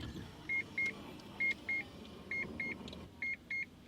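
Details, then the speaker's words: Mazda RX7 on E85 after rebuild, before test drive, driver in seat: four pairs of short high-pitched beeps about once a second over quiet cabin; unfamiliar warning beep, cause unknown. "boop, boop, boop. What the f is that? I don't know. I ain't never heard that sound before."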